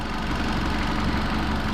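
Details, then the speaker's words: Honda i10 petrol engine idling with a slightly uneven, lumpy beat and light vibration, a dip now and then, worsening on throttle: engine misfire. "अब engine की meeting ध्यान से देखें engine की meeting है यह engine हल्का था वाइब्रेट करेगा"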